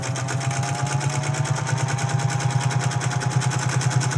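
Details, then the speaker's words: General Electric Model A sewing machine after oiling, bobbin case oiling and belt adjustment, stitching doubled canvas: even steady stitch chatter over smooth motor hum, no knocks or slipping; running well. "sounding pretty good I'm happy with that looks really good the stitches"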